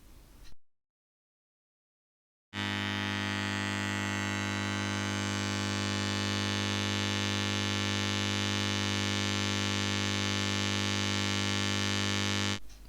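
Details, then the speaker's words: 1962 National/Valco tube guitar amplifier, about 15 watts, before restoration: loud steady low hum with a buzzy edge, unchanging throughout; mains hum from failing filter capacitors and heater wiring. "yeah that sounds really nasty right so it looks like we have to chase some noise"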